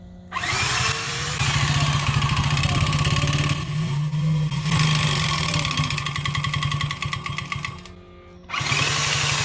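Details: 139QMB 50cc four-stroke scooter engine with shortened, ground-down piston skirt and large clearance: hard buzzing with fast sharp rattling knock, easing then returning; deliberate piston slap test run for two hours.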